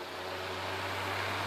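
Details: WeatherWorks window fan, used a couple of years in a cabin window by a dirt road, works on and off: steady low hum with rough scratchy rushing; bearings worn out, WD-40 tried without success, fan considered done.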